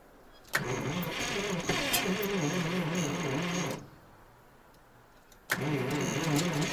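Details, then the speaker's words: ZIL crane truck petrol engine after 20 years standing, petrol poured into carburetor as accelerator pump seemingly doesn't work; two long sluggish cranking bursts with the odd catch. Slow cranking with occasional firing; starter turns poorly. "Он дает вспышку. Либо надо сейчас еще чуть-чуть бензинчика ему. Блин. Тут главное не переусердствовать. Но плохо крутит у нас. Плохо крутит стартер."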